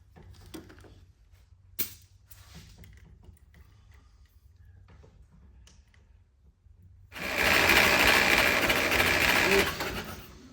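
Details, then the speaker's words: 1946 Willys CJ2a four-cylinder after 40+ years sitting, warm compression test: steady cranking with even, matched beats. Cylinders read about 95–100+, with number 3 at 100+ and number 4 just under 120 psi; good compression. "About the same. Wow, that's awesome. Number 3, 100 plus. Damn near 120."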